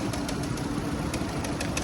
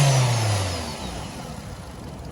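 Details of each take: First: Older Nissan Sentra petrol engine idling with cylinder 4 fully unplugged: uneven, lumpy beat with a stumble from the dead cylinder; single-cylinder misfire, coil to be swapped to test. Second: Older Nissan Sentra petrol engine after a misfire repair: brief rev, then an even steady low rumble with no skip; the AC compressor sounds close to failing.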